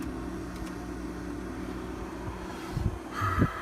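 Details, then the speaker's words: Hotpoint/GE refrigerator evaporator fan motor, WR60X10141 replacement, tested before install: steady, even low hum with no rubbing or ticking; sounds fast but spins slowly, running normally. "This thing is not spinning all that fast. I mean, it sounds like it is, but it isn't."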